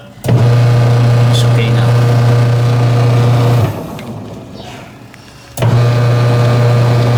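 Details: Washing machine after adjusting drive belt tension, previously noisy with powerless impeller: steady low motor hum that starts, pauses about two seconds, restarts, with no slipping squeal; belt drive now normal.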